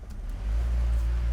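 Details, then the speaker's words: BMW E46 M54 inline-six, just after starting: it catches and settles into a deep, uneven, rough rumble. The belt is shredded, so there is no alternator or power steering, and a DISA valve flap is missing, possibly in the intake. "It runs like hot garbage. No power steering."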